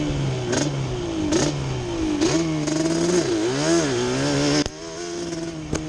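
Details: Yamaha Banshee two-stroke ATV after a misfire fix: new plug caps and coil did not cure it, but moving the carburetor needles back to the middle position did; revs climb and fall cleanly with crisp response and no stumble.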